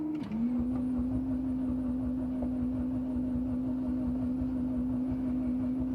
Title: Evo X hard start after stalling...